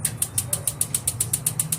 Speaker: but it just won't light up you can see here that we have battery as well but listen to the spark